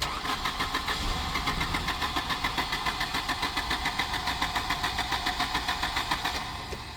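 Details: Volvo 240 with K-Jetronic injection at about 15°C, previously started and cut out: steady cranking about three and a half beats a second never catches; crank no start, cylinders flooded with fuel.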